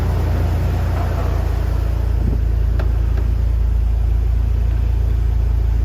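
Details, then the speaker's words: Third-gen Toyota 4Runner V6 just after an oil and filter change with five quarts: smooth, steady idle rumble with no ticking or roughness; running evenly. "let's fire it up [Music] her and like a kitten so let's get out and check for leaks"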